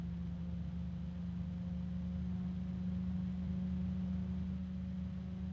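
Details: bgears b-blaster 140 case fan, the third unit (second replacement), tested for true noise level. An even low drone near 190 Hz with a faint rubbing sound underneath: harmonic resonance hum.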